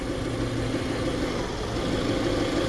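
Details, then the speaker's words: 2007 Kia Sportage 2.0 with battery light on after another shop fitted a new alternator: steady idle dips and recovers when the alternator connection is touched, pointing to a loose alternator connector. "oh do you hear that so all I'm doing is touching our alternator connection and it's changing the idle of the vehicle so that lets us know something that's going on"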